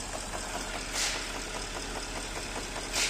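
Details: 2010 Porsche at idle: light, fast, even ticking over steady idle; ticking engine noise, owner believes the engine must be dismantled, source not identified.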